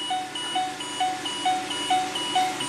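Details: Mercury Mountaineer after ABS CAN circuit repair, engine started: two-tone chime repeating about twice a second over a quiet cabin with Service RSC warning; junkyard ABS module not programmed correctly, needing Ford As-Built calibration data.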